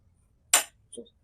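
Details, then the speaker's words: Prestige Svachh Duo 3-burner gas stove, liftable burner raised for cleaning: one sharp crisp click then softer tick as it latches, the lock catching normally. "Lift చేసినప్పుడు sound వస్తుంది, observe చేయండి. Once ఆ sound వస్తే అది lock పడినట్టు అనమాట."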